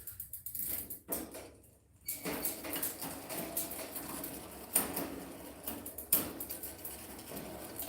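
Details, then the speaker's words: Rift Zone mountain bike in a higher gear: rough metallic clatter and gritty scraping, suspected from dry, dirty rear derailleur pulley wheels and chain; fix planned is to clean and oil the pulleys and fit a new chain. "Yeah, sounds terrible. Yikes. I hate that sound. So, I'm going to take these derailer wheels apart, get them off, clean it, oil them up, get a new chain on there."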